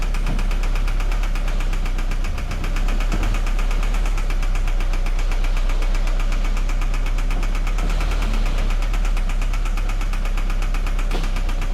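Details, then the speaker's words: 2013 Scion FR-S petrol engine idling with a steady, rapid knock, the customer's complaint; a scan found a misfire on cylinder 4, so a teardown was planned. "Uh this is the car with a knocking sounds. So pretty much customer complaint you know with a knocking sound."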